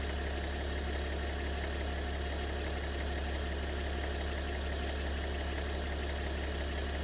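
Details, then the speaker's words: BMW 730d with M57 (306D3) diesel at idle; rough uneven ticking knock about 2.5 per second over the clatter, fading and returning; owner suspects a problem with maybe two cylinders, mysterious knock, cause unknown. "Вот самый тихий тоже вариант. Вот цокот появляется. Может, с двумя цилиндрами даже проблема."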